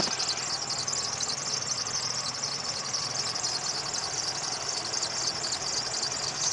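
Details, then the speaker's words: Daewoo Lanos at idle, before belt conditioner is applied: steady high-pitched squeal over a quiet engine from the slipping alternator belt. "Ребят, сейчас будем пробовать кондиционер для ремней. Слышно сейчас, какой звук идет, да, от ремня?"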